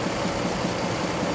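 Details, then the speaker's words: 2003 GMC Envoy 4.2L 4x4 auto, warm after 3–4 minutes running, serpentine belt still on before removal to rule out accessories: warm idle with a steady dull knock under the engine note, suggesting an internal engine knock. "I'm going let it run until we get that knock back and then I'll turn the camera back on. Say it's been running for 3 to 4 minutes now."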